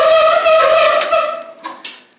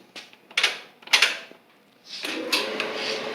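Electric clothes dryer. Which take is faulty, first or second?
first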